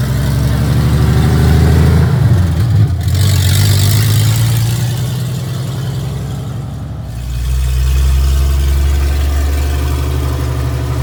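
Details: 1982 Toyota FJ45 pickup on its first test drive after a full rebuild of the 1977 2F engine (new rings, bearings, head shaved 0.40, new carb, headers) with an H55F 5-speed added; deep, even note pulls cleanly, dips on shifts, picks up smoothly; healthy under acceleration.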